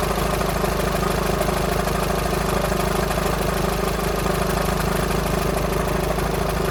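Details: VW Sharan 7N 2.0 TDI common rail diesel (CFFB), cold start after new timing belt, injectors refitted and fuel lines drained without bleeding; even light rattle about twice a second at idle; owner suspects tensioner pulley, unconfirmed.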